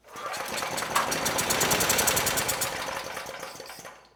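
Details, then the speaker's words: Generac GP6500E generator, formerly seized engine with suspected low compression, fed starting fluid with a light plugged in: popping beats build, hold, then fade; engine runs too slow to reach speed. "Too slow."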